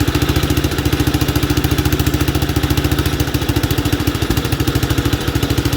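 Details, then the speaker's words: 1967 Gravely 430 sat outside for years, after clearing debris from the ignition points: quick, even single-cylinder thump three to four beats a second, no misses or clatter; engine good, not smoking or burning oil, transmission junk. "this engine's good see it's not smoking or burning oil it's burning things off that I've spilled on it"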